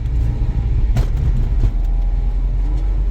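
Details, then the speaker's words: Used BMW E46 after repair of poor fuel flow and incomplete cylinder firing: under throttle the engine pulls strongly with a deep smooth rumble and road noise, no misfire or stumble, responding instantly versus sluggishly before. Normal acceleration. "คันเร่งเมื่อวานอ่ะตอนเหยียบอ่ะเหยียบครึ่งนึงมันไม่มาแต่นี่เหยียบแป๊บเดียวมาเลย"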